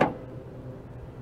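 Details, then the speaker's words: 2013 Honda Accord trunk lock assembly actuator bench-tested with direct 12V battery: one sharp click as power hits, then quiet; actuator snaps over cleanly and works normally. "and i should hear the actuator go on and off and i do as you can see"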